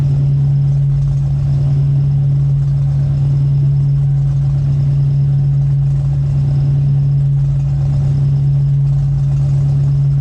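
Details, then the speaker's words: 1995 Ford Mustang GT at cold start with a new loud exhaust: a V8 idle with a loud, steady low moan and a slow, uneven surge that seems to go away when revved. The owner suspects the idle air control motor. "uh not sure what that sound is um idle surging and there's a sound that sounds like um a cow giving bird I read something that said that that might be the idle air control motor since I have been having idle issues"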